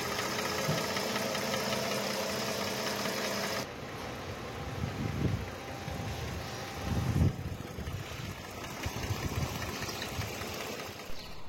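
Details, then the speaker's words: Mercedes 663 AMG six-cylinder V6 with misfire and poor pickup: idle stumbles unevenly with irregular thuds and dips. Check found three coils on one head dead, nearly all coils bad and a removed plug also bad; all six coils and plugs to be replaced. "Friends আমরা check করে দেখলাম যে coil খারাপ আছে এটার তিনটা একটা হেডের পুরা কাজ করতেছে না সবগুলা কয়েল প্রায় খারাপ সবগুলোই চেঞ্জ করতে হবে এখানে"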